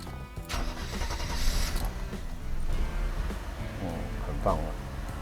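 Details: Restored Mercedes W126 300SEL after replacing fuel distributor bases: cranks briefly, catches quickly, settles into a steady, even idle with no stumbling; clean normal start.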